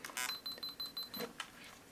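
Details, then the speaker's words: Untested used digital camera, power-on attempt: short whirring lens attempts with rhythmic high clicks and a beep, then the lens stops and shows lens error, restart camera; zoom mechanism jamming. "Lens error, restart camera. So I'll try to work on this a little bit later and see if I can get it into working condition."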